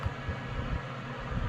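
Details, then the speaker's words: Comfort Zone CZ230ER 7500 W garage heater after shut-off: low steady fan hum with a soft airy rush and no rattle or scrape, running about 90 seconds to cool the hot element against fire risk; normal cool-down. "or any other damage that it might cause from the heating element staying so hot so this is why the fan stays on so that we can cool it again"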